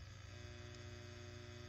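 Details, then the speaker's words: ART Pro Channel II tube preamp with mains raised to about 124 V, faint steady low buzz at mains rate, worsening with higher incoming voltage; quiet at 118 V; fix involves power-supply resistors R245 and R41. "if I bring it up to say 124 the sound is that much worse and that would not be ideal for a studio environment"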